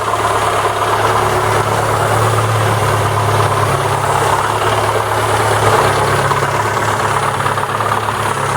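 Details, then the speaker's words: ZAZ Lanos 1.4 with MeMZ 317 engine, low oil pressure, after tightening valve clearances (intake 0.15, exhaust 0.20 mm): idle much quieter but a dull muffled knock remains, localized to the crankcase near cylinder 4; suspected loose flywheel, not confirmed. "ну приятен намного тише стал работать но все равно какой-то глухой стук есть"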